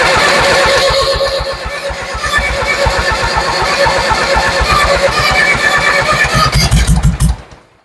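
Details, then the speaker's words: Ford 7000 diesel tractor, cranking with injector bleeders being closed, one left open; steady cranking thumps about three per second, then a few uneven louder firing bursts before it dies; stumbling, nearly starting. "Wow, I would call that a stumble. That makes me happy. Sounds like she's trying to go."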